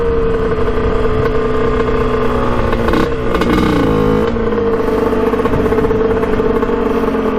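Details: 1989 Kawasaki KX125 two-stroke dirt bike, first test ride after a clogged pilot jet was cleaned: raspy revving with uneven crackle and a stumbling dip, thudding and misfiring at high rpm; sounds really lean, power valves to be checked.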